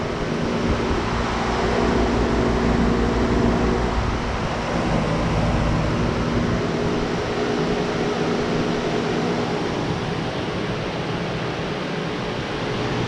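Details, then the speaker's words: 2002 Intrepid electric cooling fans swapped into a 1971 LS-swapped Chevelle, wired to run both on high: the second fan is connected to join the first, giving a steady, loud air rush and even motor hum with no rattle or rubbing. Normal. "I'm gonna go ahead and connect the other one, so this should cut on the other fan, and they both should run at the same speed."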